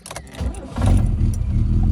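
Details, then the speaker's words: Rover SD1 2600S, recommissioned after 17 years in a yard, cold start with auto choke on before the exhaust replacement: engine catches and settles into a loud, raspy, blatty low rumble on fast idle; exhaust leak. "that makes an awful noise is that exhaust obviously the auto chokes are on you can hear that"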